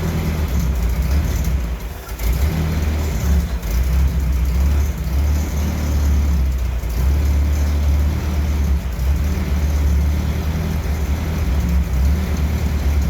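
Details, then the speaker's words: 1968 M151A1 military jeep engine, newly started on the lift and still needing a fuel pump and carburetor rebuild: a deep, even note that rises and falls cleanly with throttle, with no knocks or rattles; running well. "I think that's proof of concept it's getting a little hazy in here I guess I'm definitely happy with it it sounds good"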